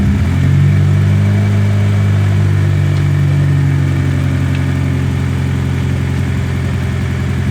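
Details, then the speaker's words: BMW E30 with M42 engine on a newly installed MegaSquirt, barely tuned, wideband not yet fitted: startup then deep idle rumble that swells and settles. Mild surging because the tune still needs work; idle surge from untuned ECU. "Pretty good for the most part. Still have a bit of surging. That's just because the tune needs to be worked out."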